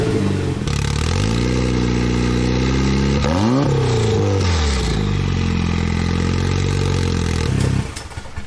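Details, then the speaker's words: Goblin running on a replacement Cobalt engine swapped in for the blown LSJ-T, with clutch refitted: catches, settles to a steady idle, then revs up and down smoothly with no knock or rattle and plenty of oil pressure; boost not yet tested. "So no, we fixed it. We're good. It's done. It's drivable."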